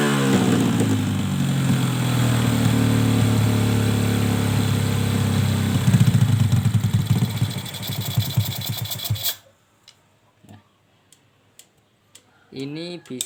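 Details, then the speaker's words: Suzuki Smash after carburetor jet rework: uneven stuttering misfire that never smooths out, then stalls when the air screw is loosened; the "susu" sound is suspected from a leaking valve, pending engine teardown. "di sini waktu kita kendorkan setelan angin-anginnya terus mati dan suaranya susu susu itu dikarenakan katupnya yang bocor"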